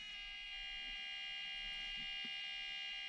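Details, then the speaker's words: FMS Toyota Land Cruiser 80 1/18 RC crawler: thin steady high-pitched electronic whine from its noisy ESC unit, same as in the RocHobby Katana. "and the fms lc80 land cruiser does have the same noisy esc unit as the katana you can hear it here"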